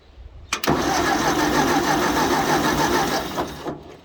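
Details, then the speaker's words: 1956 Ford 640 tractor, first crank in years, engine not seized: starter spins it about three seconds at an even beat, roughly three to four per second; sounds marginally healthy, no cylinder down on compression. "so motor cranks over sounds marginally healthy I don't hear any like one cylinder down from the others"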